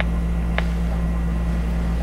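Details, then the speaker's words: 1960s Channel Master 6506 six-transistor AM radio at maximum volume: only a steady low hum with no station or voice, as the seller's claim of working great proved false; very low volume and few stations received. Cause unconfirmed. Weak audio and poor reception. "that's just maximum volume right there I don't know if you can hear that get the mic down there maximum volume and it's like nothing"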